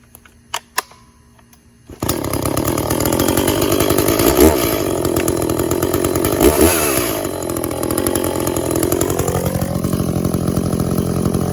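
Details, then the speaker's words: Echo CS400 chainsaw after OEM oil pump replacement and tune, cutting white oak: fires after a couple of pulls, holds a strong steady scream, dipping briefly as it bites; chain sharp enough, dug in under own weight; normal cutting under load. "I think the chain's pretty well sharp enough. I might touch it up before I give it back, but it dug in real nicely, just with a couple of quick bursts, and under its own weight."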